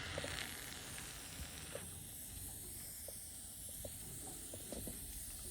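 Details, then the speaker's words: Central heating sealed system being drained in an empty house for winter, radiator key opening an upstairs radiator bleed valve: faint steady airy hiss with small ticks as air is sucked in and water trickles out. "It's the water trickling through the radiator and air coming into it. So, bleed valve there, I'm just going to open that and you should hear air hissing in or being sucked"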